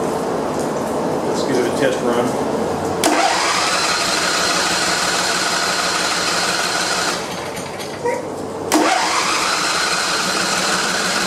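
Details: Donated John Deere LA140 lawn tractor, previously not running, after clearing junk from the bottom: starter whirs and the small engine catches twice, spinning up to a steady, even run; normal start and run.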